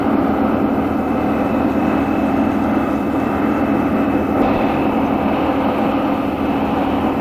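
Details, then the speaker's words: Real BR Class 74 electro-diesel, 1977 recording on electric power: loud steady droning hum with constant high whine, unchanging; booster set running normally. "Finally, we hear the loco on electric power. The noise of the booster set is making loads of racket."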